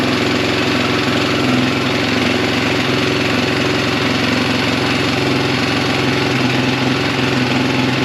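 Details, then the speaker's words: 2004 KTM 450 EXC single-cylinder, kickstarted as battery is dead, fuel seeping from suspected dried-up carb: loud steady idle that won't cut out when the kill switch is hit; owner suspects a bad ground. "So I got a bad ground somewhere. Yeah, I was hitting the kill switch, it wasn't working. Odd."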